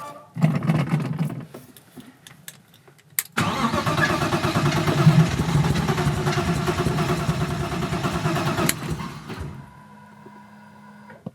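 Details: BMW E30 engine on Link ECU, fuel pump running into a bucket, trigger offset not yet dialed in; steady starter cranking about three turns a second for six seconds, never catches; crank no start.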